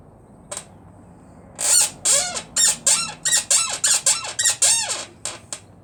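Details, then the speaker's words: Motorcycle rear suspension, bike lifted, bounced by hand: sharp high dry squeaks about three per second from a pivot low on the rear shock area; rear shock noise, source not yet found. "Sounds like your parents' bed, doesn't it? I can't see where this squeaking is coming from."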